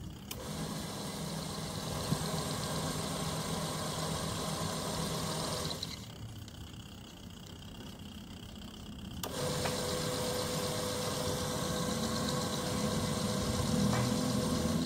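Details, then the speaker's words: Automatic washing machine converted to manual with timer: wash motor hums steadily, pauses a few seconds, then reverses; even back-and-forth agitation, no grinding, washer working properly. "nah bener ya temen-temen ya Berarti untuk pencucinya sudah Sip sudah gak ada masalah ya sudah lancar"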